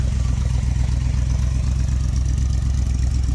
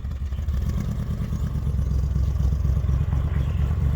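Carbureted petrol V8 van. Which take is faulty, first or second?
second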